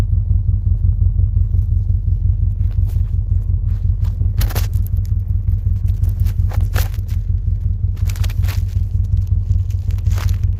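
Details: 2006 Subaru Forester EJ25 boxer, 5 speed, 260K miles, after head gasket and timing job, no leaks or check engine lights: deep, steady low burble with an even loping pulse, no knocks or misses; normal idle.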